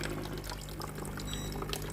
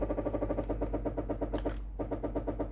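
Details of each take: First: Philips GC7051 steam iron water pump after replacing the faulty steam water hose: low steady buzz with water gurgling and trickling through the line, pumping normally. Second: Philips GC7051 steam generator iron, heated and ready: the water pump pulses rapidly, several beats a second, but no steam hiss follows. Water isn't reaching the heater because the steam hose has failed.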